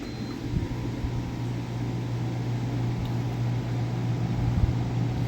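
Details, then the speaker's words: Idylis portable air conditioner/heater that had been shuddering, tripping the breaker and shutting off within a minute or two; after cleaning and reassembly, runs 10 minutes with smooth steady low hum and even fan rush, no shudder or cut-out; normal running. "all right so I've been sitting here let it run for like good 10 minutes and we couldn't even get like a minute or two out of before"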